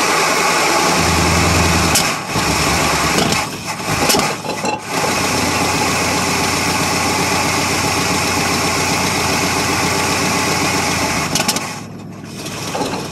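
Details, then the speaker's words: 1977 Ford F150 Supercab, 460 V8 cold start on jumper cables with fuel poured in, old gas, stuck in gear: runs unevenly, rpm sagging and surging with near-stall dips, won't hold idle; rough unstable idle, cause unconfirmed. "maybe it'll sit in idle or maybe it won't I gu more gas"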